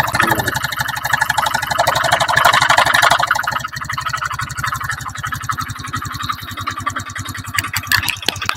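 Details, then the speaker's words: Honda Beat FI running with CVT roller housing removed and cam chain tensioner tightened fully, yet still rough: harsh, rattly beat about three per second, clatter rising with revs; worn piston, later replaced. "tak kancengi pol sampai mentok Mas tapi mesinnya sih tetap kasar mesinnya malah tambah kasar Mas"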